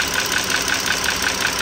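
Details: 2009 Dodge Journey SXT V6 (stated as 3.5L or 3.6L) at idle: crisp regular tick five or six times a second from worn rocker arms and rocker shafts, assembly needs replacing.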